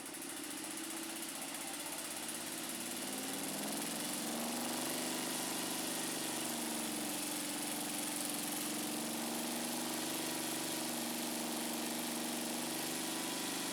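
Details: Scag Turf Tiger 61 with Kohler CH25S, first crank after reconnecting repaired wiring ends: uneven, lumpy stumbling beat of about four pulses a second. Still misfiring; the ignition coil was then replaced.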